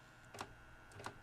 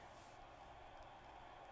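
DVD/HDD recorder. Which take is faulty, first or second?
second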